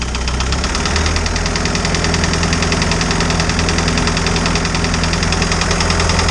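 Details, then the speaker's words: Isuzu 4BD2T diesel in a Spryte snowcat, first run after a new head for an exhaust-to-coolant leak: idles with a fast, fairly even light ticking, about three a second, suggesting a valve needing lash adjustment; no coolant bubbles yet. "so far no bubbles yet sounds like i need to adjust the valves a little bit better"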